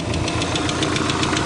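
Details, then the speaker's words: 1990 Subaru Legacy on its first start after sitting 2 years, with missing parts replaced. Uneven lumpy idle with irregular ticking that sounds like it is on three cylinders, yet unplugging plug wires one at a time shows all cylinders working; cause unknown. "sounds like it's on three cylinders for some reason doesn't sound right"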